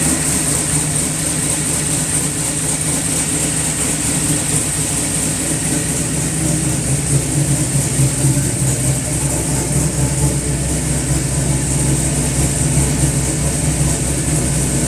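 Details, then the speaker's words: LS-swapped OBS truck after valve cover and coil relocate work, restarted to check a suspected bottom-end noise: smooth, even idle with a steady low drone and no knock or clunk before shutoff. The noise is gone, not a cracked flexplate. "it I definitely took care of our our bottom end engine noise that we thought we might have glad it wasn't a crack flex play"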